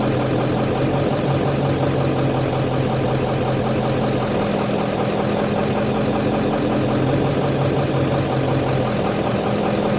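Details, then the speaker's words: Ford 7.3 Powerstroke diesel at idle: idle hunts slowly up and down every few seconds instead of settling, surging from a failing injection control pressure (ICP) sensor. "this is what it is going to sound like for this particular ICP issue so listen real closely uh back up a few times if you need to but listen real closely this is the exact sound cuz each one is going to make a different sound"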